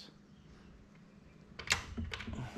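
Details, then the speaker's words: Kawasaki Bayou 220 ATV, rewired electric start circuit: in a quiet room one sharp click then light taps as neutral safety starter relay switches when shifted into gear; normal relay operation. "So when I push it in gear, it should click, should hear it click, and it will open these two"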